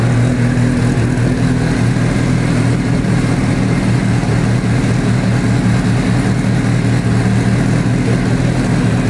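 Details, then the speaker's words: Mitsubishi Evo that started then died after 10-15 seconds; failing main fuel pump relay losing trigger signal, bypassed, pump tested fine: now deep, even idle holding steady without cutting out; normal idle after fix. "So yeah, it runs. I'll actually turn it on for you guys so everybody can hear it."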